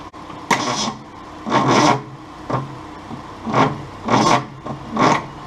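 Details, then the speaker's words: 1966 Ford Mustang 200 cid inline six, not seized but sluggish, cranked with spark plugs hand-tight after penetrating oil: slow, heavy cranking bursts dragging and stalling against compression; barely turns over. "it just really struggles against compression probably gonna take a couple out see what that does and or spray a little Lube down in there and see what we get"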